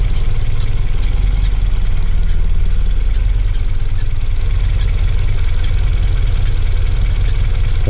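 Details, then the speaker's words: Car with Works Bell Rapfix quick-release steering hub just installed, at idle: steady idle with a light, quick, regular high tick over the engine hum; they suspect the belt tensioner; ticking noise at idle. "Yeah, I think Cam's right about that tensioner."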